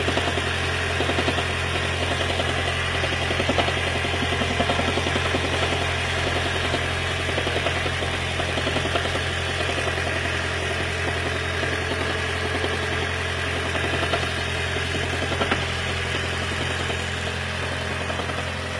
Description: Lexus CT 200h Hybrid Electric Engine 2ZR-FXE Knocking Sound during cold start due to water leakage into Intake Manifold